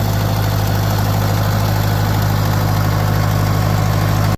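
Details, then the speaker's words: Farmall 504 tractor after fuel delivery fix, cold start: steady, deep, even idle with no misses or surging, hydraulics whining; normal idle. "Yeah, still running. I think that was the cause of our issues, fellas."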